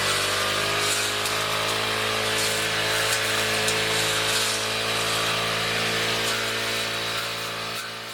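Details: Two-stroke grass cutter after fixing vibration under throttle by removing wood debris from the blade seat and reseating and tightening the blade; steady high-revving buzz, even and smooth with no wobble or shudder; runs cleanly at speed.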